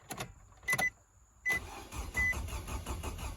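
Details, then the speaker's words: Car with just over a quarter tank, fuel pump not heard, after cycling key several times: clicks then steady cranking that never catches; not getting fuel, fuel pump failure suspected. "okay okay obviously we're not getting fuel"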